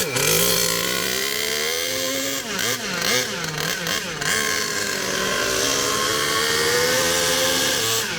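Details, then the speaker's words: HPI Savage Octane RC truck, petrol two-stroke, started with choke on a chilly morning and warming up: high buzzy scream near full throttle with wavering pitch and a mid-run dip; too lean on the high-end, to be adjusted. "Bit too lean on the high end. I'm going to sort that out."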